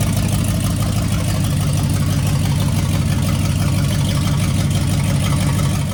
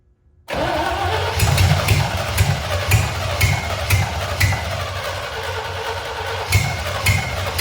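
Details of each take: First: C65 dump truck, first start in 10 years with a different V8 engine and transmission, new Holley carburettor and Holley electric fuel pump: deep steady rumble at constant speed, no misses or knocks; normal running. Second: C65 dump truck left sitting about 10 years, first start of its replacement engine just after the carburetor was bolted down. It fires right up but runs lumpy, with an uneven, hunting thump; owner suspects oil in the cylinders from storage. Needs a tune-up; rough running linked to carburetor and fuel-supply faults.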